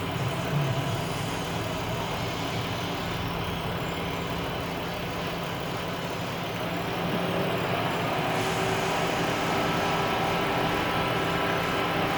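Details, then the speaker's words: Chrysler/Dodge minivan 3.6 Pentastar after oil cooler repair, bleeding coolant with a spill-free funnel: loud steady rushing roar of cooling fans at full speed over idle, engine overheating from trapped air, coolant gurgling. "Now you can hear the fans are really going because it's in freak out mode."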